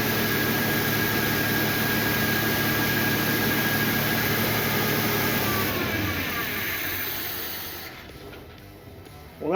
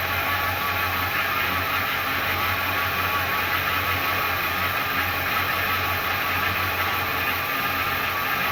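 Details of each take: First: 1977 Ford Fairmont XC GXL, 302 V8, stored 12 years in a shipping container, started on fuel poured into the carburetor: roars up and holds high revs without settling to idle, then dies; throttle linkage stuck. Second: 1977 Ford Fairmont XC GXL, revived after over 12 years stored in a shipping container, running on temporary fuel feed before tank hookup; steady, even engine note with smooth low hum, no knocks or misses. Accelerator pump possibly leaking slightly, not confirmed; otherwise running properly.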